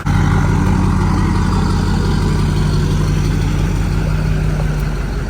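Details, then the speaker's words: Diesel truck starts and idles deep and steady with no belt squeal, where it usually squeals at start-up, before tuning; healthy idle. "well no squealing this is awesome usually when I start it up you hear the belt squeal so it's quiet check it out oh yes sounding good now"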